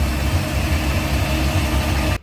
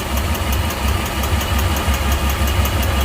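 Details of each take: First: Volvo Penta 4.3 boat engine after reconnecting a spark plug wire that had come off one cylinder and caused knocking and ticking: deep, even burble with steady firing and no knock or tick; normal idle. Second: Volvo Penta 4.3 in a Regal Fasdeck boat, fuel trim codes: lumpy uneven idle with a dull recurring thump, one cylinder missing, from port side; mechanic suspects internal compression or valve issue rather than fuel.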